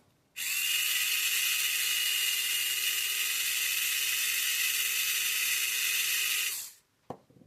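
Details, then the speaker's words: Rebuilt AFX Tomy Turbo slot car chassis, motor and gears tested alone for top-end free play: high steady whine for about six seconds, then a clean spin-down; spins true without binding. "pretty good spins all right not binding running true"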